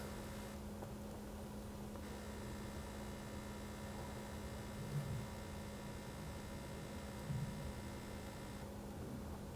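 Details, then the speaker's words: 2007-2013 BMW 328i 3.0L L6 after radiator replacement, engine off, key on, heat max, blower low, low beams on, accelerator held 10 seconds to start bleed: quiet constant electric hum of the coolant pump running its roughly 12-minute cycle. "All right, it was about 10 seconds. I can hear the pump going. And now the pump's gonna do its thing for about 12 minutes."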